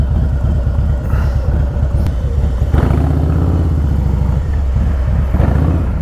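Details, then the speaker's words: Harley-Davidson FXLRST Low Rider ST, Stage 2 117 ci V-twin with Star Racing 30/30 cam, ridden the day after a Power Vision dyno tune: deep, steady rumble pulls strongly under throttle without stumbles or popping; greatly improved and healthy. "taking it out for a ride so you can hear it really really greatly improved"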